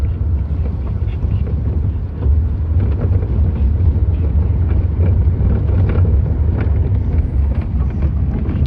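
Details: 2018 Lada Vesta SW Cross while driving: deep road rumble with sharp dull thuds over bumps; a knock in the suspension.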